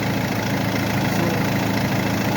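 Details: Mercedes that would not crank even with a new battery, running after the starter motor's brush contact was fixed. A smooth, even idle with a steady low rumble and no knocks or misses. Normal idle.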